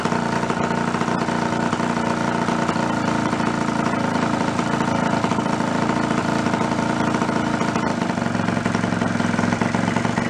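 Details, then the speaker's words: 49cc fold-up suitcase scooter two-stroke, sitting 40+ years, first run in decades with no choke and a little throttle; steady fast idle, mostly even, clearing up but still smoking; normal running. "Exactly what it's supposed to. Needs to be run a little bit, that's all. How cool is that? First time that thing's been run 40-50 years."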